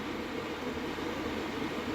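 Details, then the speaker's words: Diesel heater installed indoors on a power supply with battery backup, running after startup: smooth, even rushing hum of the steady burn with fuel pump ticking barely audible (felt by hand more than heard); normal running. "Yeah, cuz there's hardly any knocking. You can't hear it. I know if I put my hand on the side, I can feel it, but you don't hear it."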